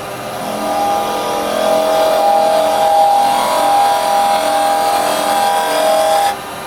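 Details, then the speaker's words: Carbide chisel rolled over, working off the tip, while turning a small goblet (under 2 inches of wood) on the lathe: steady even hum, no rattle or chatter, a smooth quiet cut, unlike the noisy vibration when the chisel is held flat. "Right, now I'm going to roll the chisel over and come round. Working off the tip. No noise. That is the difference when you roll it over."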